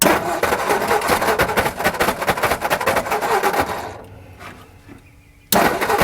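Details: 1960 Ford F-350 revived after 34 years, running on a substitute carburetor with no idle adjustment: ragged, uneven running that stumbles near stall, then surges. The carburetor is dumping fuel, so it is switched back to the original.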